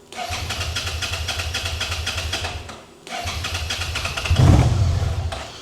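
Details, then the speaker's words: 2011 Suzuki SFV650 Gladius with a fault-coded sensor unplugged: two starter bursts; the second catches and revs only with throttle, then fades; won't idle, starts only with throttle. Plugged in, it whines instead. Cause suspected. "So, you hit the starter with throttle, [Music] but it won't idle."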